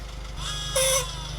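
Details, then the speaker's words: VW Golf R Haldex (Gen 5) AWD fluid service: with the engine running, the coupling pump is activated via scan tool (OBDeleven) to prime it. A steady low hum with a faint high whine over the idle; the pump runs properly. "And then we're going to go to our pump motor. We're going to activate it."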